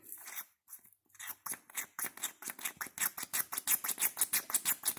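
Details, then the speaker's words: 1959 International Harvester B275 tractor with a BD144 diesel, after a fuel filter change with the bleeder screw and water separator open; the hand primer plunger gives crisp, even clicking strokes that speed up, pumping normally, with some drips at the bottom. "it sounds like it's plunging great. Oh, we did get some drips out of the bottom."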